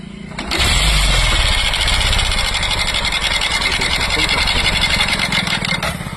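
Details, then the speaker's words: Bajaj Platina two days after a timing chain job. It idles quickly with a light, busy mechanical clatter; the mechanic had left out the timing chain washer, which is then fitted. "Sound हम आपको बताते हैं किस चीज का है। जिसमें mechanic ने इसमें टाइमिंग चैन डाली है। उसने इसका बासर खो दिया।"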